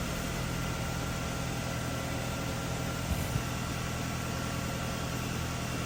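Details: Nissan X-Trail T30 QR25 after fixing hard starting and P0335 crank sensor/circuit code by reinstalling the timing chain (crank and cam sensors already replaced), no codes: quiet steady low hum, even tone, no misses, knocks or rattles; normal idle.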